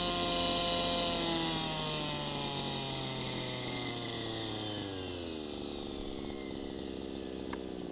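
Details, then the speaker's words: Small two-stroke gas engine idling with low-speed needle too rich: burbly, uneven, consistent four-stroking beat, sagging speed, exhaust smoke. "you see some smoke coming off of the exhaust and the four stroking is pretty consistent"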